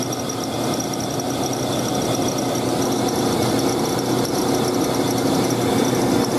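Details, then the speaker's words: 2000 GMC Sonoma 2.2L I4 at idle, AC on, about 88,000 miles: shrill constant squeal over steady idle, getting worse and louder the longer it runs; failing belt tensioner spazzing, to be replaced with new tensioner and belt. "well that's the squeaking can't really see the tensioner moving but it's it's spazzing out pretty good then it gets worse and louder the longer runs"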